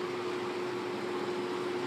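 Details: May 1985 Kmart 20" box fan model K-223 with McMillan motor, on medium speed; even airy whoosh over steady low motor hum, no rattle or scraping; running smoothly.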